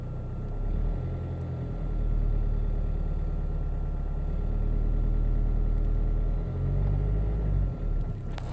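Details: Alfa 159: engine drones and booms at 1000–1500 rpm, deep rumble swelling and easing with engine speed; strange noise of unknown cause.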